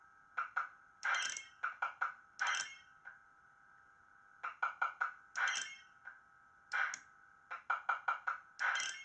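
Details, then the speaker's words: Supershot arcade cabinet lamp-flasher PCB relay clicking in quick clusters over game tones, run without mains wires connected; flasher working normally. "I really know it works because I could hear the relay clicking, but for safety reasons, I've run the game without connecting the mains wires going to this PCB."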